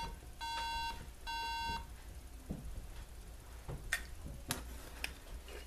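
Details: MacBook Pro three-beep RAM error on failed start: two long identical high beeps with short gap, repeating, no boot or video; still failing after RAM modules were removed, cleaned with an eraser and reinstalled; one RAM card later found faulty.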